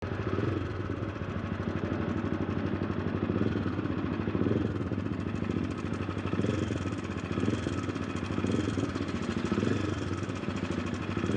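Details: Honda CBR300R at about 55,000 km (34,000 miles) of daily highway riding, idling with fast dry ticking rattle from the cam chain after the automatic cam chain tensioner broke; fixed by converting to a manual tensioner.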